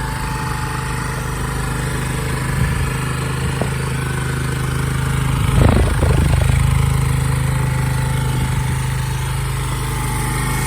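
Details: Honda SCV100 Lead scooter buzzing at a fast idle of about 220 pulses a minute with wind gusts. Idle is set high because of a slight CV carb problem; lower, it stalls when hot.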